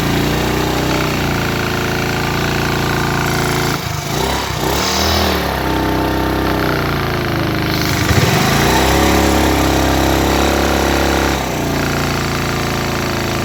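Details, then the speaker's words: Single-cylinder motorcycle at idle and revved: rough chuffing beat near four per second with blowing leak sound, noise from piston and cylinder head under load; head gasket leak. "तो आपने इस बाइक का आवाज़ भी सुना है, कैसे ये आवाज़ कर रही थी हेड सिलेंडर में, और साथ ही साथ बिलो भी मार रही थी।"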